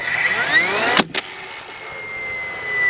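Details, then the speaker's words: DeWalt DCFS950 cordless fence stapler driving into old landscaping timber: motor winds up with a rising whine, fires one sharp shot, then fades instead of recycling, with jam light blinking though no jam; stalls after firing, cause unknown. "Alright, so you hear that? It shoots the nail and then it dies. And I got the jam mechanism light blinking."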